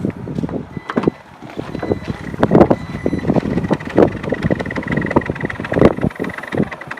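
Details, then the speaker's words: 2017 Jeep Grand Cherokee, under a year old with 39,000 km: dry irregular creaking and squeaking as the rear tailgate moves, a rubbing body noise whose exact source is unclear; tailgate creak. "就这个地方，就一直是咯吱咯吱咯吱咯吱咯吱咯吱咯吱是在响。这个车到现在还不到1年，39000公里，不到4万公里，但是这个异响已经出现了。"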